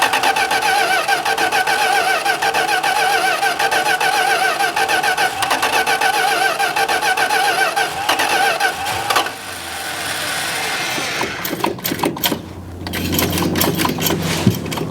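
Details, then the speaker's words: 1971 Plymouth Road Runner cranks at about three and a half turns a second but never catches; a diaphragm is suspected of doing nothing, no fuel delivered, and the carburetor is to be rebuilt; crank, no start. "So, I feel like oil the This diaphragm is not doing jack. I was hoping to just fire it up off the off some gas in here"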